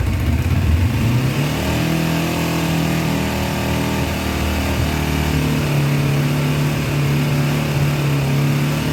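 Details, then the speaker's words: 2000 Kawasaki Ninja 250, sat a year, carbs just cleaned: engine held at a high, steady 4,000–6,000 rpm buzz (redline 14,000) and never drops to idle; it only runs revved, as dirty carburettors keep it from idling. "Believe me, that sounds worse than it is. We're running around 4,000 to 6,000 RPMs, and this thing red lines at 14,000. So I normally wouldn't like to rev them that high, but it's the only way it's running right now."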